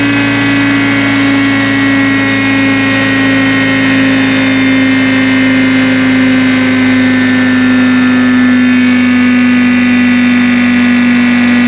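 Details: Revived 1960 John Deere 440 backhoe, supercharged 2-53 Detroit two-stroke diesel that sat locked for years: steady even drone, strong constant hum, no knocks or misses; good oil pressure, normal healthy running.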